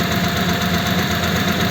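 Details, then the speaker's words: Old French flathead engine in a 1941 pickup, first start and idle: a steady, high, singing whine over an even idle from mismatched cam and crank timing gears, after the gear was changed earlier; it may get better. "now I can hear that it's got a wine and that is a wine that you get with a mismatched Cam and crank gear because I had to change the gear before in this engine actually"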